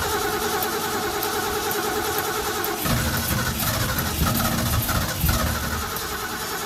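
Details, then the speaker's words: 1970 Mustang Mach 1 clone V8, cold, after regasketing its Holley 600 carburetor: catches after cranking and settles into a slightly uneven, lumpy but steady cold idle; normal cold idle. "so sounds good it's just a little cold so we'll get this running right and then i'll turn the camera back on"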